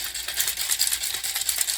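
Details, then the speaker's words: Vintage Nerf blaster, missing a screw and dart post, dry-fired: dry high-pitched irregular rattle of loose parts with no resistance, because the plunger head has come off its rod; loose plunger head rattle. "Wait, this was the seal, wasn't it? Plunger head was disconnected. That would explain no resistance at all."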